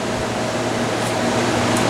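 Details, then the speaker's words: Airtemp CIV08S2AC 7,600 BTU casement air conditioner running in fan-only mode: even, steady whoosh of moving air with a low hum underneath, no rattles or squeals, reasonable noise for the airflow. Normal fan operation. "Pretty reasonable noise level for the amount of air moved."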